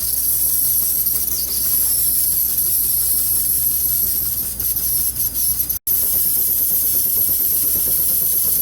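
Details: Scratch-built model stationary steam engine, oiled at pivot points, just fired up on a head of steam: constant steam hiss over light, regular even chuff; running well.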